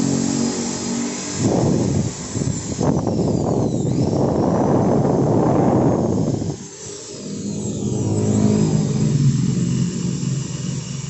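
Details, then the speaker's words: Maktec 10 mm drill (MT60-series) at slowest speed after repair, now an even motor hum without the earlier rough growl at low RPM or overheating; fixed by adding missing shims and tightening the four middle body screws. "Nah, di RPM rendah atau di speed yang paling lambat. Suaranya sekarang udah enggak terdengar ngorok seperti tadi ya, Guys."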